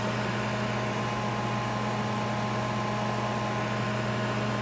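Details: 1988 Sharp Carousel II microwave oven heating a bottle of water with the shell off, drawing about 10.1 A, roughly 1.2 kW, with tape directing the fan air: a steady low hum and even fan rush. Heating normally.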